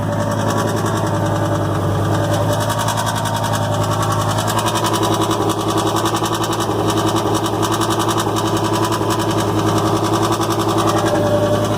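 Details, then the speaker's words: Cold start and idle of a used pickup with 190 thousand miles inspected before purchase: a steady stumble every few beats under a loud, raspy exhaust, intake tube visibly shaking; engine misfire, cylinder not identified, no scanner used. "Okay, immediately you can hear the miss. You can hear the loud exhaust."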